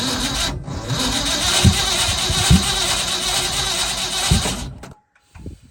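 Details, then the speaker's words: Old Ford F100 bought sight unseen, jumper on weak battery, about 4 gallons fresh gasoline added: starter churns about three pulses per second, no firing or catch; crank no start, fuel smell appearing, cause unconfirmed. "I smell gas finally. Might be getting there."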